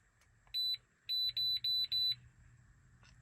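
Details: Mk6 VW GTI, scan tool clearing misfire codes after fitting new APR ignition coils and NGK spark plugs one heat range colder: one short beep, a pause, then four quick high beeps in a quiet cabin; scan tool beep.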